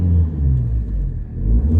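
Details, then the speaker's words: 2008 Ford Fiesta Zetec S 1.6 TDCi Mk7 diesel, 144,000 miles, aftermarket exhaust back box: deep smooth rumble rising and falling evenly on a rev, slightly loud from exhaust; normal rev, even idle. "a little bit noisier than standard because of that exhaust, but nevertheless a nice even idle."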